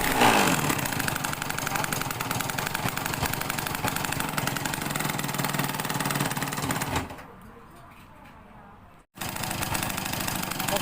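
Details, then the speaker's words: Worn two-stroke Yamaha YL2 motorcycle engine idling after a new main wiring harness, CDI conversion and self-wound charging coil (about 12 V): a quick, uneven rattle of about four beats a second from worn piston rings, though it starts and idles. "รถคันนี้เครื่องก็ไม่ค่อยจะสมบูรณ์นะครับแหวนดังด้วยแต่มันก็สตาร์ทติดได้นะครับ"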